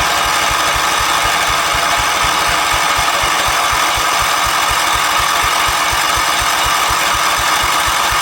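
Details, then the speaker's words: 1977 Wheel Horse B-100 tractor single-cylinder, rebuilt carb, new fuel pump replacing failed one: starter turns engine about four times a second with extra throttle but it never catches; cranking no-start. "Give it some more throttle. It's not interested, is it? not behaving."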